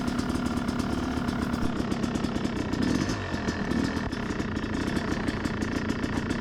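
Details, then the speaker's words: Yamaha YZ250X two-stroke with Panthera electric start, started dead cold on choke, after power valve fix: crisp, even crackle picking up cleanly under load with no bog or hesitation; power valve issue solved, engine pulls healthy. "and right away i can tell that i've solved my issue and this is gonna be a great day"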